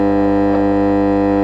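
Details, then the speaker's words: 1969 HMV transistor record player switched on after new mains cable fitted: loud constant low hum with steady buzzing overtones, no music; bad mains hum, owner suspects power supply or smoothing capacitor fault. "right we've got a very bad Mains hum on it so I'm going to turn it off now"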